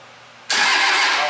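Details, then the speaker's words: Cummins diesel show truck, first start after bleeding the injector lines: brief sharp bump of the starter, strong and even with no grinding or clicking, no jump pack needed; normal starter cranking. "All right, so we bumped it. Sounds pretty good, actually."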